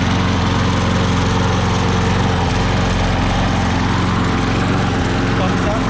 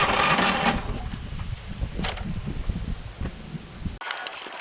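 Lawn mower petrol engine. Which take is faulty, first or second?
second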